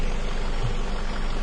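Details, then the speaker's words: 2002 Ford Focus Zetec with rough idle, cylinder drop test on cylinder one: uneven, loping idle with a steady low thump and no change when the plug lead is pulled; a dead cylinder from exhaust valve leakage. "all right no change at all with the engine a little bit when I put it back in there but uh that cylinder has a problem"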